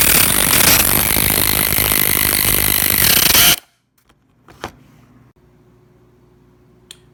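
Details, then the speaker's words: Portable tire-inflator pump motor: loud, harsh drone with high squeal cuts out abruptly after about three seconds, stalling under load after running about 15 minutes filling two large SUV tires; owner suspects overheating or reaching pressure. "so the last you saw the motor was running there and i accidentally hit the button and you saw that it's stalled i think it's because i we met the pressure that it was"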